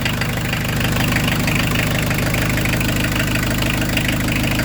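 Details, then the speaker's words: Peugeot 205 turbo-diesel with forged rebuilt engine, PES injection pump, about 1200 km into break-in, fully cold start after glow plug preheat; steady idle with light even clatter around three ticks a second, normal cold-diesel combustion knock. "Hein, ah, ça claque un peu parce que c'est froid, c'est normal."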